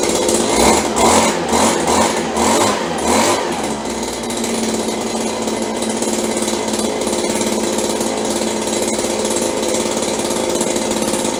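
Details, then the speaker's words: Stihl BG72 two-stroke blower, about 30 years old, rebuilt, started cold on choke: lumpy, surging burble for a few seconds, then it settles to a steadier buzz; rough running when cold, runs much better once warm. "Sounds like we need a little work here. Runs much better when it warms up."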